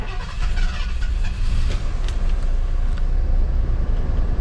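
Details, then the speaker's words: 1978 Ford F100 V8 after an exhaust leak fix and with the old pickup coil reinstalled; it idles better and steadier, but an occasional uneven beat remains, a slight misfire of unknown cause. "definitely seems to be better I don't know for sure still seems like it's kind of running a little funky I'll let you be the judge here seems like it might be misfiring just a little bit"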